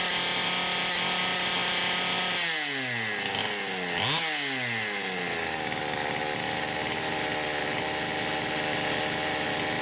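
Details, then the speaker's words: Poulan Pro 525 chainsaw (essentially a Pioneer P52), governed carb, carburetor gasket issues repaired: revs to a high scream then pitch drops and surges unevenly, cutting out just shy of 11,000 rpm; electronic governor suspected, not confirmed. "but I can get it to just shy of 11,000 RPM, and that's where it starts cutting out. So I actually think there's an electronic governor on here"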